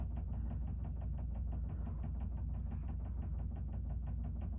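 A low tumbling rumble with an even thump about three times a second runs throughout; the dryer is knocking, cause not yet found.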